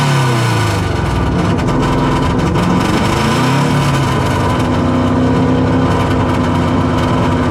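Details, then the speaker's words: Subaru on autotune that just stalled: restarted, it runs unevenly with surging and dipping revs before a rough, hunting idle. No working idle control valve, idle set by screw, still cold; needs proper tuning. "So, yeah, it still needs a still needs a little bit of control and uh proper tuning, honestly. But I got it start and it's kind of idling."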